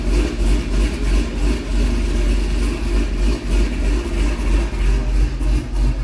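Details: C6 Corvette V8 after an aggressive camshaft and long-tube header install, still on the old tune: loping uneven idle hunting about three times a second, undrivable, then dies. Rough idle suspected from a tune no longer matching the cam.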